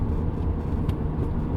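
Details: 2007 VW Golf GT TDI, BKD 2.0 diesel, 140 hp, held about 3700 rpm while driving in gear: a heavy low droning hum and vibration fills the cabin, measured at double engine rpm. The owner suspects the driveshaft or a wheel bearing; unconfirmed.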